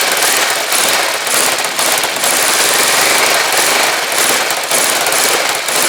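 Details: Rebuilt Kawasaki GPZ500S twin in a frame, about 130 psi, restarted on fuel left in the float bowls only: fires up and runs with a loose, slightly uneven beat, pulling steadily; healthy engine running on its own.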